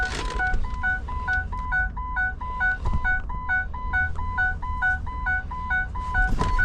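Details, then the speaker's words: 2008 Ford E-350 Econoline with no-crank, no communication to PCM, theft light flashing and battery at 9 then 7 volts: steady two-tone chime repeating about twice a second; abnormal warning chime, cause unconfirmed, possibly dying battery. "Actually now it went nuts. What is that? Let's see. I don't think I ever heard that noise before."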